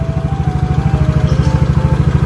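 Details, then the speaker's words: Yamaha Mio GT/Mio J scooter, sat 2-3 years, after an engine teardown to cure a severe pinging rattle from the front of the engine: steady, even low putter at idle with no pinging or rattle; engine running cleanly. "nah ini hasil pengerjaan dari Ajeng udah nyala lagi cuy normal udah rencep lagi"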